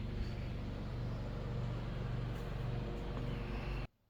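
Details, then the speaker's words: Mr. Heater Big Maxx 80,000 BTU garage heater converted to propane, shut down after running: steady low fan drone with an even rush of air that cuts off cleanly, the normal cool-down fan run-on. "okay we're going to shut her down and it takes a couple minutes to cool down so we'll just shut it right"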